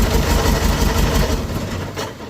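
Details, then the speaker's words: John Deere 4045 diesel, rebuilt a year ago with new injectors, running after start; rough lumpy beat with uneven knock, sounds horrible, previously knocked and smoked badly; cause is the injectors, due for replacement: diesel injector knock. "It's just ga ga ga ga ga ga ga ga. And I know what it is. I know the cause. It is because injectors."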